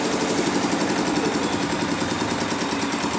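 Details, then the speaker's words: Diesel after cracked cylinder head gasket replaced, previously hard to start with watery exhaust sound: even steady idle clatter, no misses; now running normally. "Oke sudah hidup normal"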